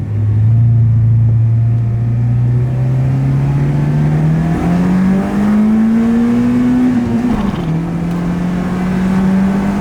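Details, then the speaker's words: Honda VTEC engine after a fire, rev through first gear: engine note climbs smoothly with no sudden change in tone at high revs; VTEC does not engage, cause unknown. "I don't know it still feels kind of weak and I really don't even hear it engaging ya guys so as you guys just saw the tech does not want to engage"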